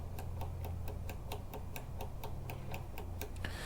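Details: Toro Recycler mower wheel that was wobbly, after light lubrication: light even ticks about four per second as the wheel spins, no grinding; drive pawl working normally.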